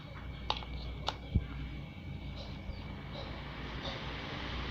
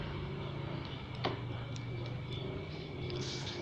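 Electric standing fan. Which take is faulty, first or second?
second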